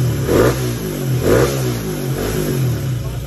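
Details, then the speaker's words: Yamaha Aerox B1 scooter, engine returned to stock (CBT only, M3 pulley), after fitting a part that had been missed and was making it very noisy: revved about once a second, revs rise and fall cleanly and quietly, no clatter. "All goods yung makina, tahimik na. Kanina sobrang ingay, nagka-problema. May hindi lang pala kami naikabit."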